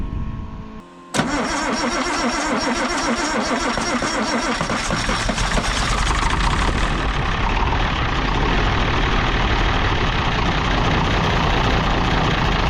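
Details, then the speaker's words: International D282 diesel in a Galion crane, first start after a rebuilt Roosa Master DBG injection pump with new plungers. Cold start with glow plugs heated, starting fluid and a non-working heater. It cranks, catches, and the rough rattly idle smooths out; the owner suspects a bad valve on cylinder 1. "Alright, I got everything hooked up, and I've got fuel coming out number 1, so I'm going to try to heat the glow plugs. Might have to use a little start you bastard. Tried to plug in my heater, but she no work."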